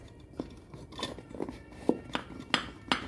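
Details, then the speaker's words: 2007 Fiat Palio 1.8 8-valve strut worked by hand: sharp metallic clinks about twice a second as the bump stop knocks against its spring cup, polished from contact; the tec-tec noise heard over speed bumps. "Aí ele vem e ele fica batendo aqui, ó. Quero ver se consigo fazer o barulho pra vocês ouvirem."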